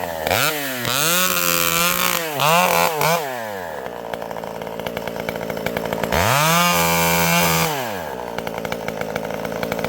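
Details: Vintage two-stroke chainsaw with a governed carb cutting a hard-leaning tree: revs scream to full, pull down slightly in the cut and recover cleanly. The saw is running beautifully.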